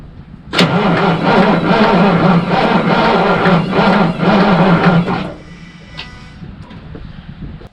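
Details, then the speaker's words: Truck cold-starting in March after sitting 9–10 months; starter wires had been loose, batteries weak. Starter turns the engine over evenly, about four beats a second, but it never fires: crank, no start, cause unconfirmed. "that sucks that it was running and now it won't run"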